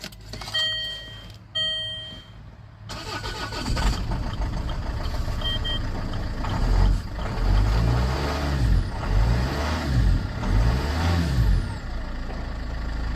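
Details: Land Rover Freelander 2 in very cold weather with weak battery, after brake light bulb change and steering lock emulator fitted to cure no crank no start: dash chimes, brief cranking, engine catches and runs steadily; starts normally.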